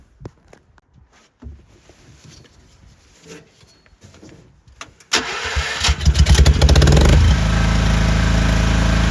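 After some quiet handling the engine cranks, catches and settles into a smooth, even run, which is healthy after the tune-up.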